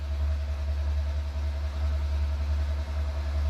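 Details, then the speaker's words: 1975 VW Scirocco stored 34 years, spark plugs removed, cranking on the starter about 300 rpm with 30 psi oil pressure: steady even drone, no knocks or catches; normal cranking. "we had no plugs in it to spin it over on the starter probably 300 RPM we got 30 pounds oil pressure"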